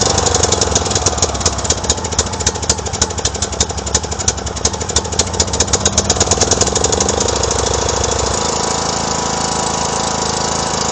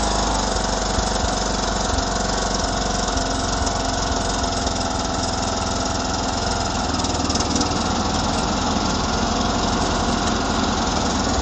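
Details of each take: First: 2009 John Deere LA105 lawn tractor with 42" deck, bought cheap at a yard sale: an uneven, lumpy single-cylinder beat with irregular pulses, running rough; the engine needs a tune-up, fuel system service and a new air filter. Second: 2009 John Deere LA105 lawn tractor after engine maintenance and fuel line and tank purge, deck engaged at low speed: steady, even drone with no surging under load; big improvement, runs normally.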